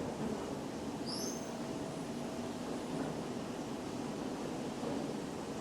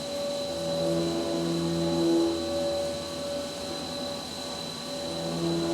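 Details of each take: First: CNC machining center rigid tapping with a four-flute spiral point tap after controller tapping-cycle correction: steady machining hum, brief squeak cutting in, no squeak retracting, so threads are not being pulled; normal tapping. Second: Flex CNC machining a cart top fixture plate: high spindle whine with ringing tones that come and go, chatter on the back side where three fixture bars hang over.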